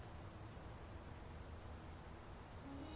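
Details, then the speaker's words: Samsung PN50B550 50-inch plasma TV being repaired, main board disconnected; quiet room, then a single sharp click with a brief buzz as it is plugged in, the power supply board relay pulling in normally. "So once I disconnect the main board, what happens is, check it out, I plug it in, I hear the click, the power board is"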